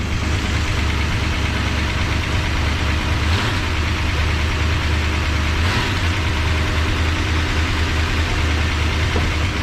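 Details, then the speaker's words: 1973 Dodge Dart Sport V8, cold, just restarted after cylinder head work for dead cylinders, bottom exhaust disconnected: steady idle with light quick ticking over the rumble as lifters pump back up; hydraulic lifter tick. "might have to let the lifters get uh get pumped back up all the way i did i did have oil in them but they might need to let the engine run a little bit"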